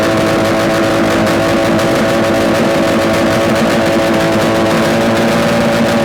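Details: Yamaha RD250 two-stroke twin on a test-stand mount with total-loss ignition, running after coil wires were swapped; loud, constant buzz with steady pitch, no knocks or rattles, smoking with oil; sounds like a good engine, running normally.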